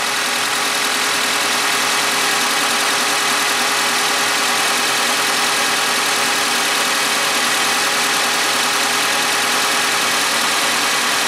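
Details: Suzuki G16B 16-valve (Geo Tracker) engine at 133,000 miles, idling and warming up after valve lash adjustment: an even, steady hum with no ticking or tapping from the top end; the valves sound healthy.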